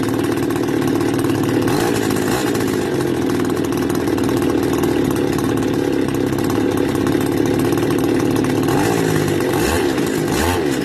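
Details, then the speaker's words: Stihl FS280 brush cutter two-stroke, warm, cover refitted for fan cooling: raspy buzz steady ten seconds with speed wobbles near the end, close to dying; stalls warm, cause not yet found. "see it shuts off again. So this is a problem that has to be looked at."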